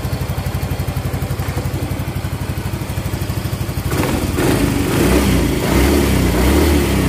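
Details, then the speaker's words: Yamaha Mio GT125 after cylinder boring, new sleeve liner and Vario 125 FI piston: even single-cylinder idle then clean revving, no knock or rattle; smooth normal running. "cukup halus teman-teman ya cukup halus tidak ada benturan sama sekali"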